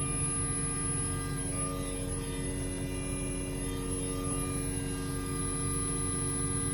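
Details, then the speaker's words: Car radio: steady electrical buzz with whiny tones over engine rumble from the speakers, a ground loop buzz. "sound in this video I have two method that you can get rid of this buzzing sound"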